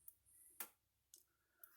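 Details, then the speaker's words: Patriot SG155 solar fence charger, 0.15 joule unit, on a good 12.7 V battery: quiet, sharp single clicks about twice a second in a quiet room; the charger is pulsing normally, and these units are not loud. "that's what's supposed to do it's not very loud these aren't loud units not stout units either"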